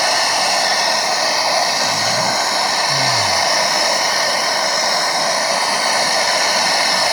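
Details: MSR Dragonfly liquid-fuel stove, owned a few years, flaring up during priming: loud steady rushing roar with brief low whooshes, probably flame over the fuel. First time; owner suspects too much fuel and thinks it needs a service.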